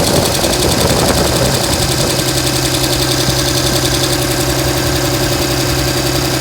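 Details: 2007 Dodge Ram 5.9 Cummins diesel, loud rough idle with lumpy exhaust beat and irregular knocking pulses; began a month ago, intermittent fuel rail pressure, MAP sensor and overboost codes; owner asks about excessive blow-by; cause unknown.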